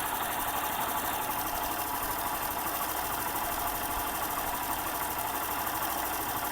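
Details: Hero Glamour BS6 motorcycle with about 26,000–27,000 km, after a timing chain replacement: even, quick mechanical patter at idle with no rattle or chatter from the chain side; the earlier chain noise is gone, normal idle.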